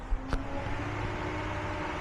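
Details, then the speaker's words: Nissan G35 with 1JZ swap on a standalone ECU, CanBus wired and fan activation temperature set to 0: steady, even electric radiator fan whoosh and hum with no rattles; the fans are running normally. "And I'm sure you guys can hear it, but the fan in fact is on."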